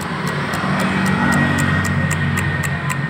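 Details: Honda Vario 110 eSP injection scooter: rapid light ticking, about four clicks a second, from the fuse box area at ignition key-on; relay chattering, low battery voltage suspected, not confirmed.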